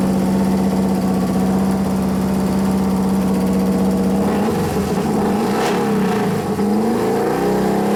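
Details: 1993 Harley FXR Evolution 89ci stroker, new build first start-up: steady, even big-twin idle that blips up and settles back cleanly, no knocks or rattles, sounds pretty damn good; normal idle, though an intermittent starter fault (suspected relay) and slightly foamy oil were noted.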